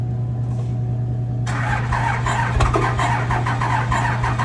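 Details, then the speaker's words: Diesel truck back for repairs; hard to start, suspected damaged exhaust valve and low compression; uneven, lumpy idle with rough pulsing beat, sounds like exhaust valve, not as bad as expected; rough running. "can already hear it. It sounds like an exhaust valve. She's hurt. I thought it would sound worse, honestly. It doesn't sound that bad."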